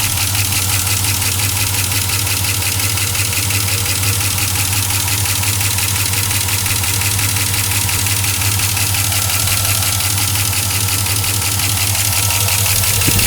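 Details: 2004 Chevrolet Silverado 5.3L V8 with 59,000 miles, cold idle, oil already changed to 5W-30 Mobil 1 with an AC Delco filter: loud, fast, steady ticking over the engine hum. An air leak is suspected up top, not confirmed. Engine ticking at cold idle.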